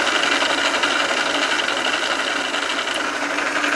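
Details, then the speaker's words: South Bend lathe gear train running smoothly with an even, steady whir and no clatter after one-shot pump oil lubrication inside the guard; it gets quieter each time oil is pumped. Normal gear train running. "oh I like it gets quieter every time I pump it"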